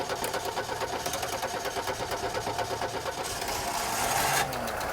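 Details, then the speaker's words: 1989 VW Fox, fuel injected, sat about eight years, just started cold: ragged lumpy stumbling and surging, dislikes throttle when cold; owner suspects fuel filter or clog despite new fuel system. "I know it does not like throttle when it's when it's cold. Running awful."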